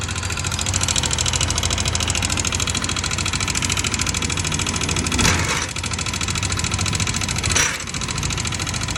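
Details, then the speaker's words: Yamaha Aerox 155 scooter, noisy engine, still ticking with the CVT cover removed: busy, rapid, sharp metallic ticking over a steady idle up top; worn, loose exhaust rocker arm bearing chattering in the valvetrain. "So maingay po ito. May lumalagitik sa makina."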